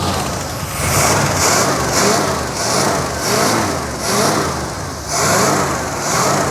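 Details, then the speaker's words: 1963 Oldsmobile 98 idling in gear just after revival, burning off old oil, possibly running old gas. Idle swells and sags about once a second with a soft, labouring, weak note. Uneven idle. "just burning off some old oil and stuff but she was in gear that's why she sounded real weak"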